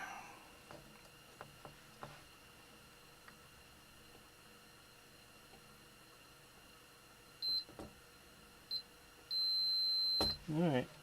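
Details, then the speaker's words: Continuity beeps confirm an intact trace on a Macintosh LC-era logic board (LC, LCII or LCIII) during recapping, after solder-wick work near some corrosion: a quiet room, probe taps, a few short steady high beeps and one long one. "that Trace is all right"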